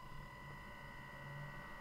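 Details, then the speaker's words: Noctua NF-F12 12V PWM computer fan driven by a QuinLED ESP8266 controller: steady high whine with constant buzz over fan hiss at PWM drive, buzz gone at 1023 (no PWM) leaving loud fan; PWM-related fan buzzing suspected. "Let's go to 1023. That's basically no PWM. Okay, now the buzzing goes away, and well, we just have a very loud fan."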